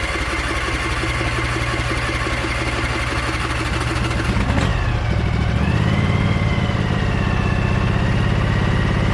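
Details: Briggs & Stratton Vanguard 23HP V-twin on a Little Wonder hedge trimmer, after primer bulb replacement and carburetor cleaning, choked, throttle low: brief crank, then it catches and settles into a steady, even idle with no misses or knocks. Healthy.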